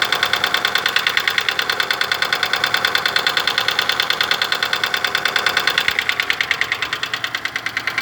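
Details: Daewoo Lanos engine at idle: crisp, very regular ticking about two per second throughout; hydraulic lifter (tappet) knock.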